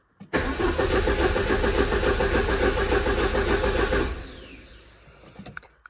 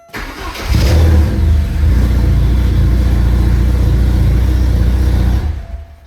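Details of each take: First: 1985 Porsche 944 that stopped running, diagnosed using the DME test plan: steady starter churn around three and a half turns a second for almost four seconds, never catching. Reference and speed sensor outputs were checked while cranking; crank, no start. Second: 1985 Porsche 944 after replacing a failed DME relay that caused a no-start: cranks briefly, catches cleanly and settles into a steady, even low idle with no knocks or stumbles.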